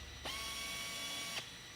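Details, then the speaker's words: FlexArm pneumatic tapping arm, regulator set to 45, driving 1/4-20 helicoils from a strip feed to the bottom of a blind hole in aluminum: a steady airy hiss with a faint even tone, a clean stop, then auto-reverse. Normal tapping operation. "So I'm just going to simply line the arm up over the hole. I'm not going to fight it. I'm going to let it do the work. So we'll drive it on down."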